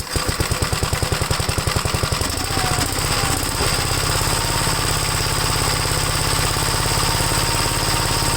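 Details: Gravely single-cylinder engine after gas tank install and throttle rod tightened, restarted: fires with quick even pops, then settles into a steady, smooth run with no misses; running fine, oil pressure gauge reading uncertain.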